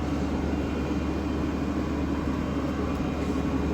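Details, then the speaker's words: JAC diesel pickup after injector repair, new filters and tank cleaning, running a scan-tool-triggered DPF regeneration: steady, even drone held at raised revs with no knocks or misses; revs drop when the procedure finishes. "робить, газує. Поки що нічого немає, але чекаємо. Ось вона закінчила процедуру. Обороти впали, щоб поработало ще 20 секунд, а потім можна буде глушити."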